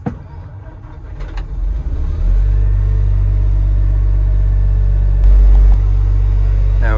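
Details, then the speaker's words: Construction machine after faults cleared (suspected failed controller from reversed jump start): diesel settles into a smooth, even low rumble, no misses or knocks; running perfectly, no error codes. "we go it's running absolutely perfectly now"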